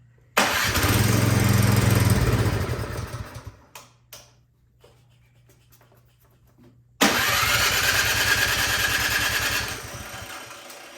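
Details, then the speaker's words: Troy-Bilt Storm 2410 snowblower, full choke and primed, electric start; fires on the button, runs a few seconds, fades and dies, then restarts; clogged carburetor jet starving fuel, fixed by carburetor cleaning. "all right well it starts it just doesn't stay running it's a very common issue"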